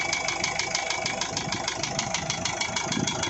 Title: Isuzu 4JH1 Engine Knocking Sound